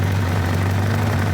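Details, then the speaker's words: 1975 Toyota Corolla KE35 at idle, heard under the car: deep, steady rumble with a loud blowing drone, loudest midway along the system; exhaust leak from cracks found in the pipe. "I mean you it it sounds like it's down here like that sounds bloody terrible but it shouldn't sound like that."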